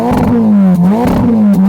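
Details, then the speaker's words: Ferrari Roma, 3.9-litre twin-turbo V8, 620 hp, just started, at standstill: crisp blips about twice a second, clean even pitch, no clatter; healthy, free revving. "That's enough. Yeah, it sounds awesome."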